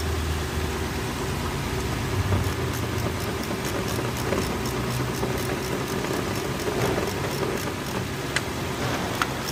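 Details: Lexus 430 running after replacing the starter motor, which had caused a no-crank, with a used unit; steady, even idle with smooth low hum, no misses or knocks; normal idle.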